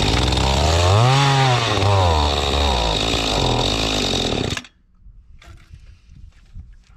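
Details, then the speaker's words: Mantis tiller two-stroke bought at an estate sale, fuel system cleaned, choke on: high buzzing engine surges and hunts, then cuts out, starving for fuel because the carburettor high-speed screw is at its limiter stop; lean running. "It's starving for fuel, and I can't reach in it anymore because the high speed is all the way at the end of its stop."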